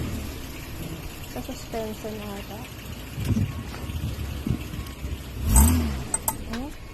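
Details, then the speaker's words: Short, sharp, high chirping squeaks over a low road rumble while rolling, on a short-wheelbase Mitsubishi Pajero, from a worn front wheel hub bearing; the fix is replacing the knuckle/hub assembly with the bearing. "then it will be your knuckle assembly it's it's the one with the bearing"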